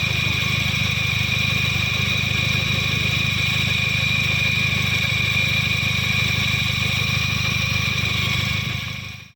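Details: Old Toyota Yaris petrol engine idling with harsh rough hum and steady high whine, engine suddenly noisy; worn water pump bearing.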